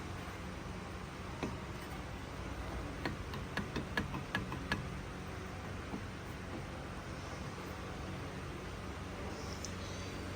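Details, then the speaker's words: Car with customer complaint of weird wheel noise: brief run of crisp ticks, about four a second, over quiet hiss; rhythmic wheel ticking, cause not yet found. "so customer complains the wheels make weird"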